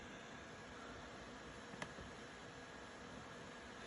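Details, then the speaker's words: Laptop fan running hard with a steady, even airy hiss, no ticking; fix is lowering maximum processor state in Windows power options to about 80–90%, which slows the computer slightly. "make your laptop not make so much noise as you can hear mine's being really loud"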